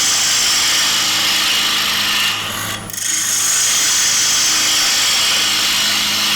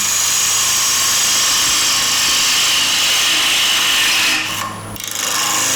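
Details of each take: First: Bowl gouge cutting the outside of a square-edge bowl with the bevel rubbing on the way out: an even, steady hiss of the gouge shaving the spinning wood, with no chatter or catches, so this is a clean, supported bevel-rubbing cut. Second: Woodturning a square-edge bowl with a bowl gouge, near the end of the cut: hissy cutting with rapid regular chatter about four hits a second as the gouge skips on the intermittent wings; fix by moving the tool rest in slightly.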